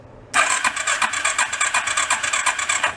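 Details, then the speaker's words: Rat rod quad cranking on a new battery: quick, even starter chatter of about eight compression pulses a second for nearly three seconds; healthy, near-maximum cranking speed. "let's see how it does with the new battery listen to how fast it cranks"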